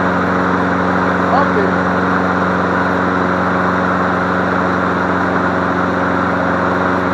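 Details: Free MTD Select Series 21-inch self-propelled mower, cord snap-back suspected from sheared flywheel key, running on leftover tank fuel: steady even single-cylinder drone, no misses, surging or knocking; running normally.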